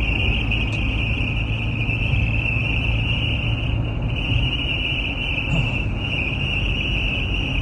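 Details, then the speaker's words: Car cruising at 60–80 mph: steady high-pitched whistle over road and wind rumble from the dashboard, starting around 45–50 mph; owner suspects the air vent/intake. "what's that sound from the dashboard it starts to sound up at about 45 50 mph and the worst sound is when it's uh about 60 to 80 mph"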